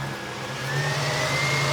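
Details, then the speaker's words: Pickup with deliberately fully dead battery just jump started with Novsight jump starter: steady even engine hum, smooth low drone rising slightly as it settles, no knocks or misses; normal running. "Okay, let's try and jump start it. And it started."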